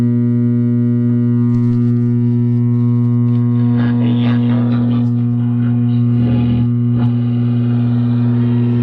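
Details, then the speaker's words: Old Lafayette valve radio on first power-up: steady low drone with stacked overtones, constant mains hum; a filter capacitor is suspected as the cause, not confirmed. "it just sounds like it just needs a filter capacitor"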